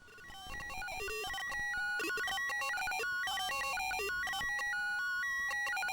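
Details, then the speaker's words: Australian Commodore 64 that otherwise works after dead test diagnosis: a chiptune intro plays with jumbled, wrong and missing notes and harsh buzzy tones throughout; the SID chip is bad and needs replacing. "Oh dear. Right, so I need a new SID chip."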